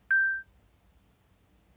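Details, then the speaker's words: OrCam MyEye version 9 reading device for visually impaired users, powered on by press-and-hold: one clean mid-pitched beep of about a third of a second, then quiet, as it reports ready with battery 100% charged; normal startup ready beep. "And then you can hear um multiple um beeps in a couple of seconds. There we [snorts] go. That's the beeps."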